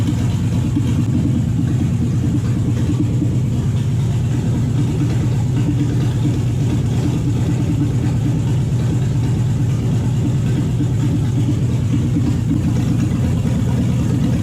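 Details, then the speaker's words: Toyota/Lexus UZ V8 on the Spitronics ECU, first start in this setup, cold with no radiator and the map barely adjusted. Rough, choppy, uneven beat with missing pulses, running on about four cylinders; the owner is unsure whether the coils are good. "Well, it runs. Not running fantastically, but I have fired it up on an engine that hasn't been fired up before. I think I'll set up a radiator and then we'll warm it up properly and diagnose why it's not on all cylinders."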